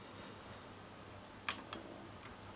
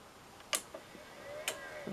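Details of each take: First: Pioneer A-P510 amplifier that would not switch on, after repair: one crisp relay click at switch-on, then a couple of faint ticks, display shows hello; normal power-on. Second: Pioneer A-P510 amplifier that would not switch on: sharp relay click, brief fan whir, another click and it shuts straight off, display flashes H then goodbye and dashes; protection shutdown.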